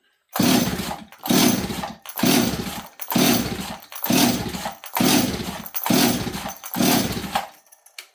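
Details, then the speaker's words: Stihl 026 chainsaw with known spark: eight rasping pull-cord strokes on full choke, each dying away without firing; cranks but won't start, fuel delivery in question. "well just like before we know we have spark we've had spark every time we've checked it are we getting fuel"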